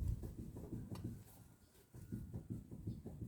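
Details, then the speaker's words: Car on the ground, front wheel rocked left-right by hand: dull low knocks in quick clusters from a worn steering tie rod end with play. "берете в таком состоянии и колесом считаете влево вправо и она будет у вас вы услышите характерный стук вот таким вот образом"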